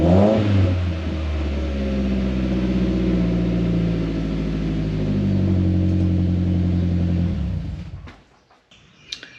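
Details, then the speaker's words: 2011 Mitsubishi Lancer Ralliart parts car, 63,000 miles, no reverse but motor said very healthy: quick catch, even steady idle, smooth blip, then shutoff; healthy start and revving. "But other than that, I mean, the motor's very healthy. Actually, how about this? I'll start it up for you guys."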